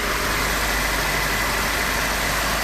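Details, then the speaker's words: Renault 18 with 2.0 carbureted engine after carburetor tests and advancing the distributor, all hoses connected: a steady, even hum with only belts, pulleys and combustion heard, no misses or knocks; the fast idle runs properly. "Notice that now he is much more serene, the only thing heard is the sounds of some belts, pulleys, and of course the explosions"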